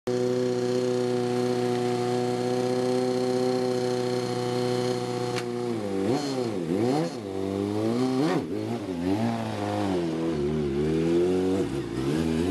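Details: 2010 Kawasaki ZX-6 idling steadily then blipped before rod knock repair: a rod knock sits under the busy four-cylinder note.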